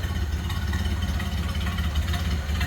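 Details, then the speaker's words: 1928 Ford Model A 5-window coupe, idling and heard from the rear after a choke and throttle start. A low, soft, even putter with no knocks or misses, a smooth purr: normal idle. "Listen how smooth that runs. And just how you'd expect a Model A to sound. Listen to that purr. Idle's great."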